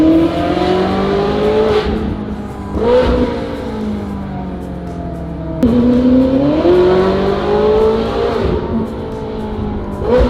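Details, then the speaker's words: Ferrari 458 GT3 after a fix for a low-end misfire; the owner thinks it was either the ignition coils or the "air max". It pulls strongly and evenly through the revs with clean drops between shifts and no low-end stumble; running healthier. "I don't hear the low-end misfire that I used to have, and that was a pretty quick job."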